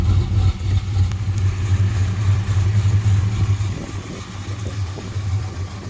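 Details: 1968 Chrysler Newport Custom with Holley Sniper fuel injection and Hyperspark ignition, idle timing set around 18 degrees, where it ran smoothest; low even rumble, steady beat, no stumble, eases off slightly; normal idle.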